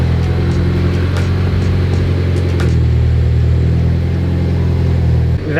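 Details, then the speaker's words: 2008 Mitsubishi Evo X cold start after replacing the oil pump that caused a bad rattle on startup: steady even low hum at fast idle, no ticking or rattle; quiet and healthy. "is crazy i've never had an oil pump on a 10 make so much noise before but it's fixed as you guys heard quiet as could be"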